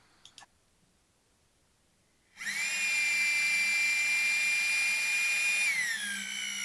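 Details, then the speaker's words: Cobra engine, oil pump primed with an electric drill on the pump shaft before first start: drill whines at a steady high pitch, then drops after about three seconds as the pump loads up; oil pressure building normally. "get an electric drill get her put on and fire it thing up and if you listen you can hear the oil pressure come in as it pulls the drill motor down"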